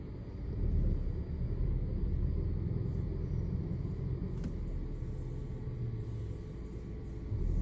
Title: PCV leaks incorrect Air fuel mixture and Misfires so Rough Engine and lost power.EPC CEL lights on.